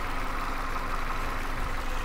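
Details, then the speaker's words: 2016 Ford Transit Connect XL cargo van, four-cylinder engine: even, steady low hum at idle with no knocks, misses or wavering; smooth, quiet, healthy idle. "it does have a really smooth consistent idle that sounds good"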